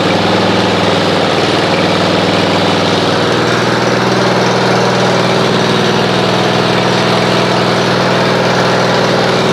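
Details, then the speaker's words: Snapper RER Comet riding mower, after Mechanic in a Bottle was run through the fuel for about 2–2.5 hours: a steady, even idle with a constant low hum and no surging; smoothed out without carburetor cleaning. "Well, you can see it's already smoothed out. If you guys remember before, it was going and about the maybe 2 to 2.5 hour mark with running that mechanic in a bottle through there, it was just smooth as glass. Like, that's the way it's supposed to run."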